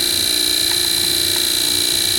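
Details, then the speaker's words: Antique GE electric motor from December 1933, continuous-duty, air- and self-cooled, running after the start windings cut out: a steady, even hum with a high whine at constant speed; ran about 1.5 hours warm without overheating. "Continuous operation motor, and it is air-cooled and self-cooled. It's not going to overheat. And it does run really nice."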